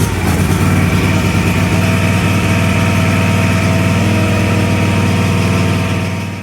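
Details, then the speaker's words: Cub Cadet LTX 1142 KW mower, Kawasaki FR600V V-twin, warm restart at about 3/4 throttle with choke disengaged after stuck-choke rough running and black smoke: steady even idle, no hunting or stumbling; runs smoothly. "So because the engine has already been started and it's warm, I should just be able to turn this key, fire up the engine, and you guys will hear the difference."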